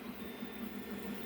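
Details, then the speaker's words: Stock Creality CR10 3D printer, about six months old, running on its original fans after the noisy start-up: a quiet, steady whir and soft mid hum with no knocks or grinding. "We're still running all the stock fans in the main unit, which when it starts up it gets quite noisy, but now as it's running you can hear it's quite quiet."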